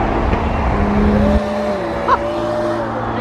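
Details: Toyota Supra on the road to Monterey with a turbo failure. The engine runs with a steady whine layered over the exhaust note that holds its pitch under light throttle, pointing to boost or intake trouble; the cause is unconfirmed.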